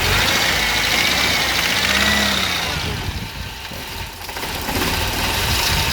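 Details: Mercedes 190 W201 M102 2.0 petrol idling with a dull, steady bottom-end knock persisting after timing chain and tensioner replacement; knock disappears when cylinder 3 is cut; teardown found spun connecting rod bearing on cylinder 3, wrist pin fine.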